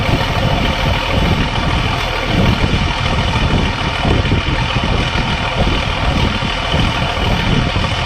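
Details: Case 1450B dozer with a rebuilt diesel engine, just started after reassembly: a steady, even idle rumble with no knocks or misses, and the engine sounds healthy.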